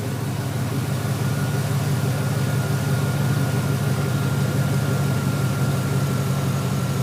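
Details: 2003 GMC Sierra SLE 4.8 L V8 idling after fitting used remanufactured 105 A junkyard alternator, about 13.2-13.5 V at battery: steady even low rumble, no knocks, misses or whine; normal healthy idle.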